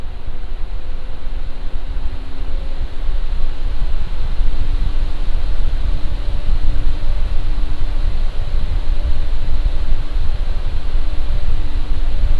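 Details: Lian Li Galahad II Lite AIO with ARGB fans, mic about 1 foot from radiator, Cinebench full load: even steady airy whoosh with faint constant low hum; normal fan operation.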